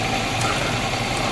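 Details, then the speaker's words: Toyota Starlet, warm idle, during a quick check for whether an engine overhaul is needed (watching the oil dipstick and for smoke): even, steady hum with no knocks or ticks. Engine running smooth and healthy. "kita coba lagi amati suara mesinnya kita cek lagi bagian stik olinya ya harusnya di sini nggak boleh keluar"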